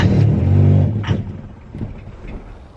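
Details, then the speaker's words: Auction-bought 5th-gen Honda Prelude BB6, start attempt with starting fluid: engine fires and catches for about a second, then dies away; little fuel came from the filter line and the fuel pump was suspected. "all right we're going to try this again with starting fluid okay oh it's a running kinda oh i got it all right let's try that again"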